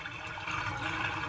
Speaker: anytime you hear that gurgling noise, you basically have sewer gases coming into your house after it's drained because there is no water in the P trap.